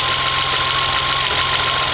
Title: BMW 2002 with M20 2.7 engine - slight misfire